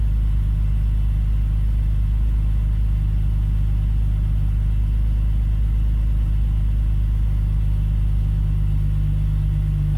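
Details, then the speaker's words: BMW E46 after fixing rattling eBay headers and leaky injector, idle control valve deleted: steady even idle, smooth exhaust, no rattles or ticks; idle slightly high, aiming for about 800 rpm. "I don't hear any rattles. That's a good thing."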